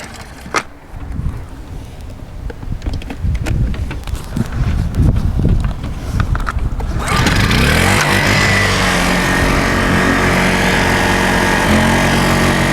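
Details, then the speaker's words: Honda 1000-watt portable generator restarted after shutting it off to reset a tripped circuit breaker; handling clatter, then it fires and settles into a steady, even hum with no stumbling. Normal running after the reset. "should have reset so that's how on the uh newer honda generators you reset the circuit breaker"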